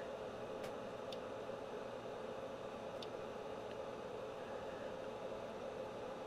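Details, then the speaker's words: Audio amplifier with gain set high, about 22 mV noisy input giving roughly 2 V output: steady, even hiss with faint clicks through the speaker as preamp noise is amplified; speaker hiss from excessive amplifier gain. "22 millivolts is a signal I'm putting in kind of noisy too that's why you're getting all that noise and the speaker because it's like I said it's amplifying the noise from the preamp"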